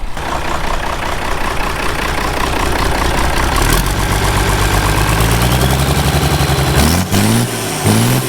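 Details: Ford 5000 tractor with swapped Ford Brazilian 7.8 six-cylinder turbo diesel, first run, PTO running: steady, even diesel idle with smooth low chug, no knocks or misses, brief air hisses near end; normal diesel idle.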